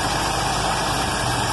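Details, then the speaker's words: Carbureted car back running after a year, with the starter rebuilt and the carb sorted; while warming it holds an even idle at near-reasonable speed, just a touch uneven. Owner thinks it needs mixture tuning, and the choke cam isn't letting the choke fully open. "but holy smokes look at this the cars running and idling at just about"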